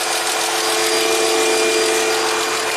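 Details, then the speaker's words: 2004 Chrysler Crossfire, off the road over a year with a no-crank, now started after powering the starter wire directly: even, steady idle with a light whine (possibly the air pump); alternator gives 14.3 V with the charger off and the battery accepts about 6 A. Normal idle. "we can measure the amps we got the car started that's that's a good thing"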